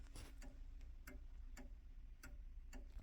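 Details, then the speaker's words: 1890s Junghans calendar wall clock with a standard Junghans Freischwinger movement, restored with new mainsprings and 21 bushings: ticks come in uneven pairs, a limping tick-tock; the pendulum is out of beat before adjustment. "tick-tock, tick-tock, tick-tock. Needs to be a nice even tick-tock, tick-tock."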